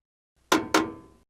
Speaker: This is a normal operational sound, and the washer is performing as designed.